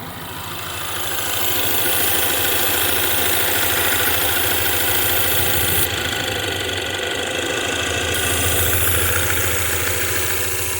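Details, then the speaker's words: 2016 Ford Mustang 2.3L EcoBoost, 128,572 miles, poorly installed replacement engine with reused intake and turbo, misfiring at idle; loud, airy hiss over the steady pulse from a cracked intake pipe between air filter and turbo leaking air. "So they reuse the intake and it's broken. The air, so you have the air inlet and then goes through the air filter, and then you have the air outlet which actually goes into the turbo, and that is cracked right behind the"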